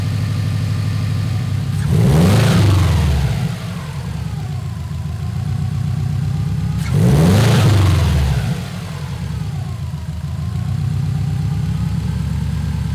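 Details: Subaru Legacy GT project car on new tune, alternator replaced and AC belt cut off to chase a lingering noise: smooth steady idle with two clean throttle blips rising and falling evenly, no rattles or squeals; working normally.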